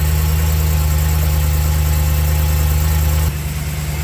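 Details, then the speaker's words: BMW E92 M3 first start after DIY rod bearing and engine mount replacement, about nine quarts oil added; deep, even idle with no knocking or ticking, normal idle, no leaks. "All right, the engine started right up. I'm going to let it idle for like 5 minutes and make sure that there's no leaks."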